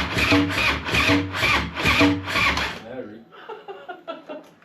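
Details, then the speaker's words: Slow, labouring crank on a freshly home-built Harley V-twin with loud pipes, at first fire after priming: heavy rhythmic chugging about two strokes a second fading without catching; owner suspects battery lacks cranking amps. "Oh boy. Battery might not be big enough. We're gonna crank this bitch Might not have enough cranking amps."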